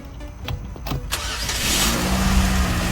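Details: Car that would not start with a dead key-fob battery, after the coin cell was replaced. A few quiet clicks, then the engine catches after about a second and a half and settles into an even idle; a clean, normal start.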